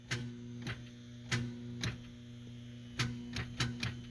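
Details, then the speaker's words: 2000 Toyota Celica at key-turn gives sharp single clicks at uneven intervals over a steady low buzz and vibration, no cranking: starter clicking on no-start, starter suspected, with a dead battery also found. "miles that's not too bad but it just makes a a click and a vibrating noise"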